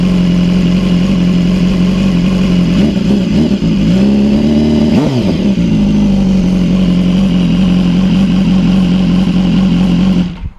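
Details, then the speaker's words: BMW S1000R (2014–16) fitted with 2015–16 S1000RR exhaust headers with smaller catalytic converters, first start after install, outdoors; deep, loud four-cylinder burble with crisp blips rising and falling cleanly. Healthy engine, louder exhaust. "the bike is now pretty loud it's not obnoxiously loud but it's loud so let's see if we can start her up"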